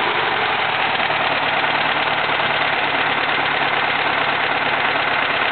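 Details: 1971 VW Type 3 Fastback flat-four, just static timed with the vacuum advance fixed: rough, lopsided idle seemingly firing on only two cylinders; removing plug wires 1 and 3 changes nothing, removing 2 or 4 kills it; cause unknown.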